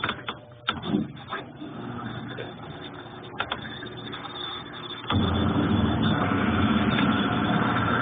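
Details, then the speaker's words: Consul Ideale 4 kg washing machine that washes but won't spin-dry: on the spin cycle after draining, early clicks and knocks, then a low steady motor hum that never builds speed; basket turns weakly, cause unclear. "Eu vou deixar na parte que vai fazer centrifugação. Acabou a água. Começa a ir água. Tá girando, só que ele gira com fraqueza."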